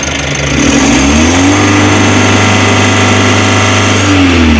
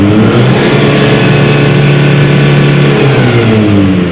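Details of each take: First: Mitsubishi L300 Euro 4 diesel, about 4,000 km, weak on hills; free revving with clutch switch not pressed due to bad pedal adjustment, each blip climbs quickly then hangs flat, capped near 3,000 rpm; rev limit from faulty clutch switch. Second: Mitsubishi L300 Euro 4 diesel, about 4,000 km, after rubber added so clutch switch presses; clutch pedal released, scanner reads steady even high rev near 4,300 rpm with no misses or knocks; healthy full free rev, versus 3,000 rpm cap with pedal down.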